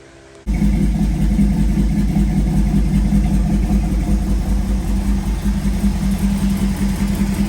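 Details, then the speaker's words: 1932 Ford Model B roadster, built 383 roller V8 with 525 hp, freshly fitted EMPI/Pierce 8-stack IDF carbs: it catches and settles into an uneven, loping idle; the carburetors still need synchronizing. "well that's a little better so got to tune it some more synchronize it some more but it runs it's working"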